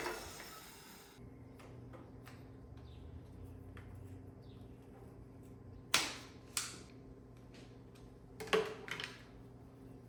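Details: Wheel Horse 520H garden tractor pulled from a tree row, running on fresh gas from a can: small engine settles into a steady, even low hum, with a few clicks of handling nearby; running normally.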